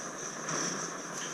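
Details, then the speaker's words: Optimus Svea gasoline stove in winter, valve opened slightly while primer ethanol still burns and gasoline starts feeding. Steady hissing roar with no sputtering or popping means it is burning well: normal stove roar. "It makes a roaring sound once it's burning well. So now there's still the primer ethanol is burning there, but now I have some gasoline also burning coming from the container."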